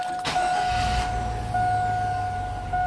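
Engine catches at once and settles into a steady, even idle with a constant tone in the background; starts and runs normally.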